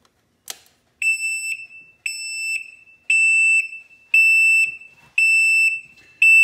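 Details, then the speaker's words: Can-Am RT Spyder after battery trickle charging: started, the parking brake failed to release, then the key was turned off. High steady beeps about once a second keep sounding, and the light is flashing. Owner says this shows the brake was not engaged; cause unconfirmed. "Okay, so now I'm going to kill it. See if it beats. Yep. So that, what that tells you is the parking brake was not engaged."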